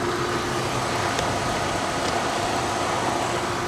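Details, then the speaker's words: 1985 Chevrolet Corvette C4 Greenwood at an insurance auction yard: even, steady engine hum at idle with no knocks, misses or squeals; runs like a top, alternator charging nicely. "listen to that he runs like a top hers like a kitten yeah alternators charging nicely"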